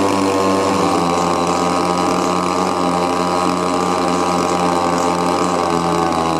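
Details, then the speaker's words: Old Echo leaf blower with a cracked primer bulb, choke on: small two-stroke holds a fast, constant buzz with no drop to idle; adjusting the high and low mixture screws does nothing and it bogs. Later found a stuck little flapper. "It just doesn't seem like the adjusting the fuel air mix is doing any good at all. So no matter what I'm doing going in and out on both the high and the low, it's still just bogging down."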